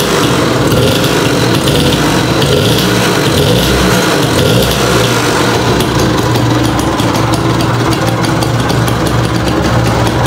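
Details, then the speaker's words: 1958 DKW Hummel 50cc two-stroke motorcycle, restored from a scrap bike, running still very cold just after first start: busy, even buzz with a crisper exhaust crackle, no misfires or knocks; engine sounds smooth and healthy, normal running. "nih suaranya knalpotnya lebih garing suaranya mesinnya cukup halus"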